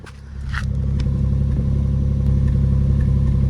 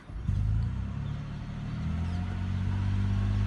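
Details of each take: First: 16-year-old Lexus RX hybrid: steady low idle with a faint uneven stumble; misfire confirmed, no fault codes stored; engine misfire. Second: 16-year-old Lexus RX hybrid after mechanic repair of the misfire (plugs and coil packs found recently replaced): low, even engine hum, steady rhythm, no stumbles; runs smooth, normal idle.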